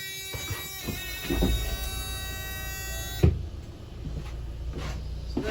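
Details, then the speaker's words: Carado hire campervan with manual gearbox, engine just started: loud steady beeping over the idle warns the entry step is still out, then stops with a clunk once the step retracts fully into the van. "if we start the engine the first thing you'll notice is a very loud beeping sound that loud beeping means that your step is still out"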